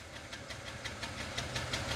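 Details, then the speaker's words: BMW 335i wagon, N54 with open downpipe, first cold start on a newly built sleeper exhaust: uneven, stumbling idle with irregular puffs and ticks, like a multi-cylinder misfire; fault codes to be read. "uh well that's not good it literally sounds like it's misfiring i don't know if you guys can hear that"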